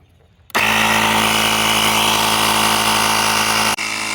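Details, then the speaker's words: EverStart 1000 amp jump pack's built-in portable air compressor inflating a Buick tire from just under 20 PSI. Loud, steady buzzing drone with a fast, even pump pulse and no labouring; running normally but really, really slow. "I'm going to say she is really, really slow. But if you're in a pinch, it will give you some air."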